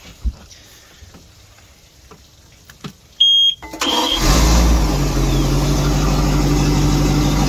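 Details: Volvo Penta boat engine after clogged exhaust manifolds sorted and risers refitted (exhaust alarm at wide open throttle): alarm chirp at key, cranks, catches quickly, settles into steady even idle with water splashing; normal start after repair.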